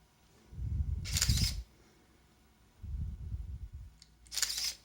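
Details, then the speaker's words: Zenit KM Plus film camera, unlocked and empty, trying to load film: three short steady whirring motor runs of about a second each with quiet gaps; normal motor-drive film-load cycle. "it tries to load the film but there is nothing and just listen to this"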